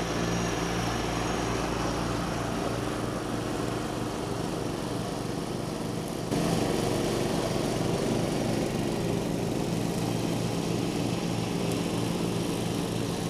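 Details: 1989 John Deere RX75 riding mower cutting tall grass: the engine holds a steady, even drone with no stumbling, knocking or surging. The deck may be cutting a little low and throws grass everywhere; it is running normally under load.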